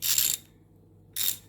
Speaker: let me i'll hold that you can hear it clicking i love the clicks very fine and what works well okay